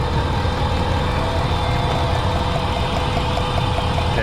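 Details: Dodge Ram pickup, possibly 2004, 198,000 miles, misfire with check-engine light: low, slightly uneven lumpy idle; a cylinder misfiring because its ignition coil leaks voltage, sparking out through the boot and top.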